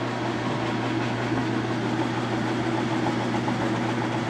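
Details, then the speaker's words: Whirlpool top-load washer in spin mode after a lid-switch bypass was installed, with the bypass switch off so it behaves as factory. Steady, even motor hum as the drum spins up to speed, no knocks or scraping; normal spin. "So we're going to turn it on, the machine should go and spin. We'll open the lid and it should stop. It spins. Yeah. We'll just give it a second to get up to speed."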